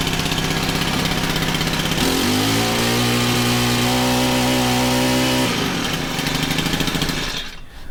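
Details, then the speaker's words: Honda FG110 tiller, GX25 engine, after a new carb and tuning: revs to a clean steady buzz with little dead spot, drops smoothly back to idle without sputter; normal idle and throttle response. "I think that's perfect. It throttles up nice. Has very little of a dead spot, if any. When you let go of the throttle, it goes right back down to where it should be, and it doesn't sputter."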